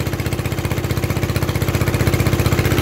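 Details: Onan 3.0 DJA single-cylinder diesel generator, no muffler, first load test after fixing AC leads and bypassing faulty decompression solenoid: very loud even thumping about ten beats a second, no misses or knocks; normal running.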